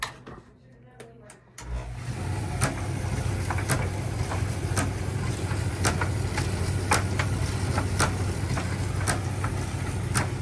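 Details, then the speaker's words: Miele T8003 dryer with top removed starts with a low hum, then a sharp scrape about once a second: carbon brush completely worn out; fix is replacing the brush, part 4490382 or 5153702. "So what's happening here is that the carbon brush is worn out here completely."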